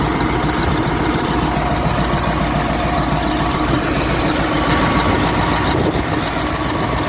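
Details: Caterpillar 988F2 loader with hard starting, heavy black smoke and knocking: loud, uneven idle with rough knocking beat; cylinder 5 injector hold-down bolt broken, injector popped up, seals damaged, fuel leaking into exhaust.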